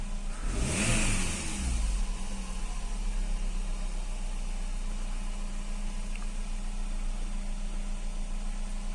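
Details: Fiat Stilo station wagon with LPG, during LPG reducer cleaning: one quick rev dropping back to a smooth, even idle with no knocks or misses. Owner thinks he hears a noise possibly from the belt.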